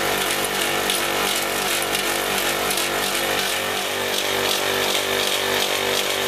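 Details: Copeland ZB42KCE single-phase scroll compressor on a milk-tank condensing unit (about ten years old), restarted after not pumping: harsh buzzy rattle with loud hiss over steady hum, noisier than it should be, cause unclear.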